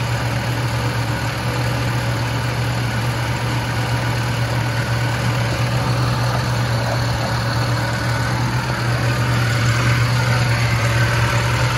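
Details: 1976 Lincoln Continental 460 big-block V8 with 41,000 original miles, idling: deep, steady, even low rumble with no knocks or misses; normal, smooth, healthy idle.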